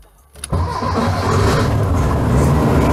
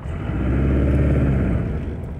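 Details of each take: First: Engine on IDF carburetors with only idle jets fitted, no main jets: it cranks and catches with a sharp pop through the carburetors, then settles into a rough idle. Carburetor backfire on startup. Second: Cold engine on IDF carburetors, rich-smelling, after testing to remove hesitation, shifted into reverse: it revs up smoothly and falls back with no stumble, pop or hesitation. Clean throttle response.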